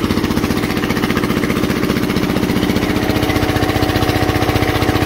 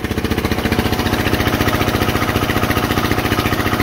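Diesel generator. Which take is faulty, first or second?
second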